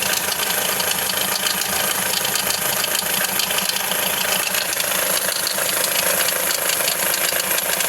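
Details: Hyundai Accent CRDi diesel sedan (2010–2016 generation) at idle: a sharp, fairly regular metallic rattle around 160 a minute rides on a steady diesel idle. Timing chain slap suspected; a loose timing chain is cited as a common problem on this model, not confirmed.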